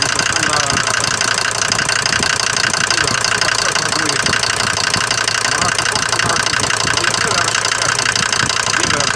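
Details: Mercedes diesel bought used with this noise, recorded cold in the morning: sharp, even clatter about three per second over a steady idle, louder than the normal clatter of these Mercedes diesels; cause suspected, not confirmed.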